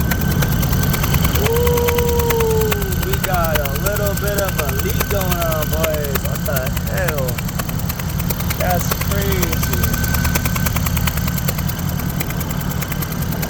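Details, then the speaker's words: Toyota Matrix XRS (E130, 2ZZ-GE): lumpy uneven idle with rhythmic puffing and chuffing about three times a second; misfire with compression leak after an over-tightened cylinder 1 spark plug blew out, taking the coil pack; fixed by thread extraction and new coil pack. "Oh, that does not sound good at all. Ooh, sounds like a definite misfire."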